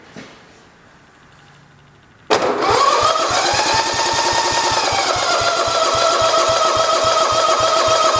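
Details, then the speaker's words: 1967 John Deere 112 round fender, electric starter cranking steadily about three or four compressions a second with a whine, never firing; fuel line pulled shows no fuel reaching the carburetor, needle possibly sticking. "yes that's our problem right there we're not getting gas to the carburetor"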